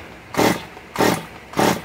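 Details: Stihl MS 194 T chainsaw with choke in and out: three short ragged bursts that die at once; coil seems to work, owner suspects water in the fuel; sputters and will not keep running.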